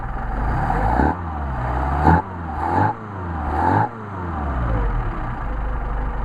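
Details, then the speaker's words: Mercedes 190SL on freshly rebuilt matched Solex carburetors #62468/62474 with new throttle shafts, bushings, plates, sleeves and gaskets: quick blips rise crisply and drop cleanly back to idle with no hesitation; good pickup, healthy. "back to idle these are nice and tight and great carburetors great pickup I think you'll be very pleased with these carburetors"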